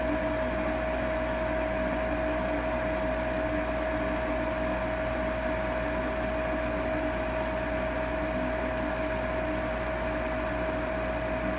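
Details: Lennox Elite G51MP 90-plus attic furnace, blower running after the draft inducer motor was replaced; smooth, constant mid-pitched hum with no rattles or grinding; running cleanly.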